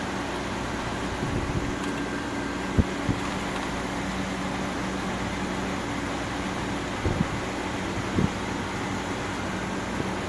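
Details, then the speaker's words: GE Profile air conditioner, curb find, on cool: steady even hum, low compressor drone under fan rush, no knocks or rattles; compressor started after a few minutes' apparent restart delay, cooling normally toward 69. "Oh, look. There it goes. Compressor just turned on. Maybe it takes a few minutes for in case you restart it or something."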